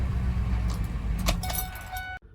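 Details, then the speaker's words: 2001 Ford F250 service truck, 179,000 miles, check engine light on, ignition coil A primary circuit fault code: deep lumpy idle that shakes the truck; rough idle misfire, cause not yet confirmed. "when you start it up the car shakes like a misfire and the check engine light is on"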